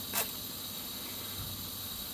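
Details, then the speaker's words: Gas furnace with the thermostat calling for heat, power switched on: a small spark click lights the pilot, then only a quiet even pilot hiss; the main burners never light, and the pilot shuts off after about a minute. "to light the mains, but the mains won't light."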